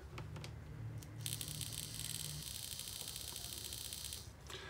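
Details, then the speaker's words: 1970s Rivarossi O-gauge Rogers 4-6-0 locomotive, motor removed and run on test transformer, wheels hard to turn: coarse buzzing whir over uneven hum; sounds horrible, owner oils it and thinks it needs running in. "that's that sounds horrible let's throw a little Earl in that"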